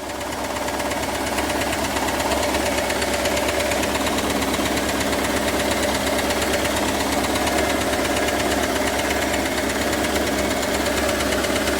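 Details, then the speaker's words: IROC Camaro V8 at idle, heard through a stethoscope on the engine's side: soft, wet-sounding tick, roughly three a second, over the engine hum. "Can you hear the ticking? Sounds wet."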